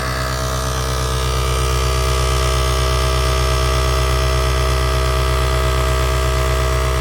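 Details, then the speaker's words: Task Force 2-gallon air compressor running after brush replacement, gauge reading about 60 PSI (100 PSI red line); steady motor hum with an even pump thump about four times a second, no grinding or skipping; new brushes bedding in with slight electrical smell; running healthy. "so it's working which is great and uh there's a little electrical smell to it new brushes tend to do that they kind of wear themselves in"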